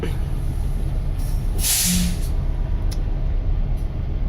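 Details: DL 4500 coach during an air brake test, engine idling with air pressure built: a short sharp burst of air hiss as the park brake is released, a normal release with no coach movement.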